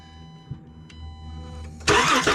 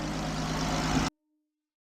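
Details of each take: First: 2013 Chrysler Town & Country cranking during spark test: quick, even starter chug that never catches; crank no start, spark confirmed, no firing on starting fluid, compression check next. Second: 2013 Chrysler Town & Country after crank-no-start diagnosis and reconnecting a component with its electrical connector: brief smooth idle, even low hum, no knocks or misfires, before shutoff; normal idle.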